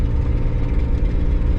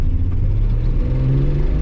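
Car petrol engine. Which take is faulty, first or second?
first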